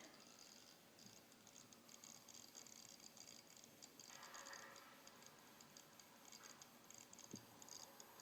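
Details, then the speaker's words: WD Passport 1TB external hard drive, about a year old, plugged into a Mac: faint, fast, irregular ticking with no spin-up, not readable; maker suspects the USB cord; clicking hard drive, cause unconfirmed. "I got the WD external hard drive I'm about to plug it in and it makes this noise that so yeah I don't know what the heck it is it just keeps making this"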